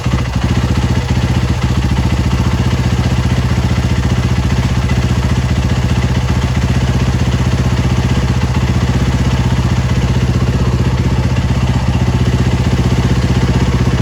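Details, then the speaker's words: Yamaha YZ450F single-cylinder after rebuild, OEM carb needle clip raised one notch curing overheating: steady deep thump about four beats a second, even and unbroken; idles smoothly, no longer getting hot. "And it's running like a treat. So that cured it. It's not getting hot anymore."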